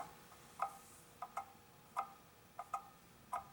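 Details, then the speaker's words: Antique clock being troubleshot after cleaning and oiling; after a small bend adjustment, ticks still come in uneven pairs, short gap then long, becoming more prominent as it slows; pendulum out of beat, needs beat adjustment. "all right now sounds a little better we're gonna have to adjust this beat it's just not quite right and as it slows down it becomes more prominent that it's going to be offbeat"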